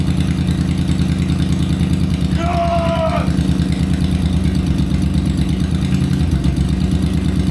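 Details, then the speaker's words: 23-year-old crashed Honda VFR800 V4 motorcycle, start after clearing an ECU fault code, throttle worked by hand under the tank: catches and settles into a steady even idle, no misses or knocks; normal idle. "[Music] Yes, we have a running engine."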